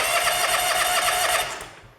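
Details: John Deere X300 series lawn tractor with good compression cranks rapidly and evenly at choke and half throttle but never catches; no-start from lost spark due to a failed ignition module (ECU).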